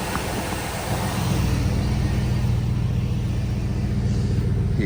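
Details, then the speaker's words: 2002 Cadillac Escalade after starter replacement, which cured a whining start issue: starts without whine or grinding and settles to a steady, even idle. The old starter was the culprit. "yes sir yes sir yes sir looks like the starter was the culprit"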